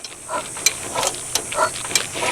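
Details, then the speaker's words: Abandoned 1963 Chevrolet C-20 stepside, cranking with a spark plug out: sharp hissing puffs about three a second from that open cylinder (number two), probably moisture inside; penetrating oil to be sprayed in to soak. "yeah it's that cylinder that didn't have a spark plug in it I can hear it got some moisture in it let's hose it down"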